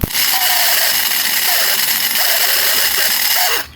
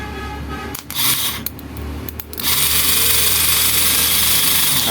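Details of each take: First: Splendor bike starter motor run off a separate battery, spinning with a harsh, high, gritty grinding for about three and a half seconds; very loud noise, motor then opened to find the problem. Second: Motorcycle starter motor run on the bench after opening and greasing: smooth, steady high whir, now nearly silent versus the earlier harsh noise, slight residual sound expected to fade as grease spreads.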